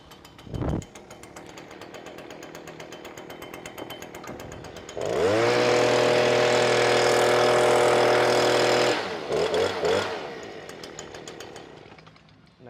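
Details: BG86 blower that had been bogging down, after a new carburetor was fitted: the engine holds a steady, clean high-speed buzz without bogging or surging, then drops back, running healthy.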